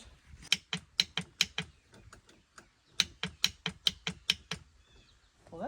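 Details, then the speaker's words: Boat that hasn't run in 15 years: two bursts of sharp rapid starter clicks, about five a second, with no cranking; suspected insufficient battery charge or poor connection, before charging. "good at least it's clicking i wonder if this don't have enough juice enough to do more than click"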